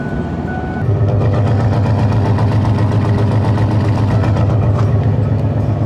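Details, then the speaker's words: 1997 Ford Explorer/Mountaineer started after a blend door replacement: smooth, steady low hum with an even, quick firing beat and no knocks or squeals; normal healthy idle. "Yeah, runs good."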